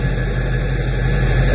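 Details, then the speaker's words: 46-year-old vehicle after a radiator replacement, idling once a loose alternator fan belt, which had squeaked on revs, was tightened; steady, even low hum with no squeal or chirp. "so I tightened up the fan belt it was in fact pretty loose should be better"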